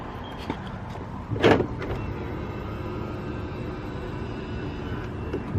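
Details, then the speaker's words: 2008 BMW 335i E90 with intermittent long cranks, on unlocking the car the next day: lock clunk, then a faint steady electric whir for a few seconds as the low pressure fuel pump primes normally, so it should start right up. "yeah I heard it Prim so should start right up right now"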